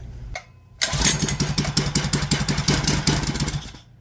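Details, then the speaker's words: Rebuilt clone GX200 196cc 68mm-block mini bike engine, valve suspected too tight: pulls to life with a choppy, pulsing idle that never settles; carburetor idle likely set slightly too far out and needs dialing in. "I'm going to dial the idle in not sure why but on a lot of these carburetors for some reason they show up with the just a little bit too far out"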